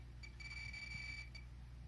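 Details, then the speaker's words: Pripyat RKS-20.03 dosimeter (SBM-20 Geiger tube) with a radiation source: short, sharp high-pitched beeps in a quick run that repeat as the alarm signals, readings then reset; normal dosimeter alarm response. "звуки дальше же делает нас сигнализирует вот и пошли показания на сброс опять адекватно реагирует"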